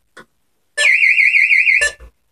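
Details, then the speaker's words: Burglar alarm external bell box tested in walk test mode, heard through an open window. A loud, warbling high-pitched electronic siren rising and falling evenly for about a second; the siren sounds as it should. "yeah there leave the window open so you can hear the sound it is quite loud"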